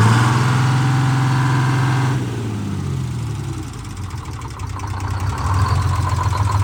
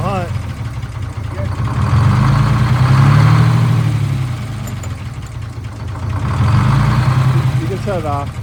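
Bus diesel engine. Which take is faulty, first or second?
second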